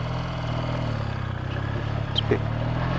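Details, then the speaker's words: Vintage motorcycle just tuned, kept stalling on warm-up, runs with a low uneven exhaust beat and small stumbles from closed to quarter throttle, fine when opened up; owner suspects carburetor needles set in the wrong position on the slide. "It's a bit spluttery. So I think I got the needles in the wrong position on the slide."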